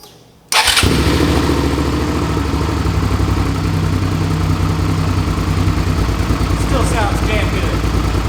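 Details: 2005 Suzuki V-Strom 650 after engine swap (original had rod knock), very low mileage replacement engine, Scorpion muffler now fitted: V-twin catches at once and settles into steady, even, deep idle with crisp exhaust beat; normal idle.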